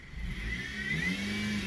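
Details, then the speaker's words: Dodge Caliber, possibly 2.4 engine, complaint of power steering noise though power steering now doubted: thin, steady whine climbing in pitch with revs over the engine note; accessory-drive whine, source not yet isolated. "it's something to attach it's something that has something to do when i when there's more rpm because when you give a car gas you raise the rpm so whatever accessory that may be causing that uh will be you should be able to hear it when you rev up the engine"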